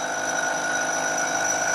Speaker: can hear more and more vibration and you can imagine that that gets worse and worse as the part gets longer and longer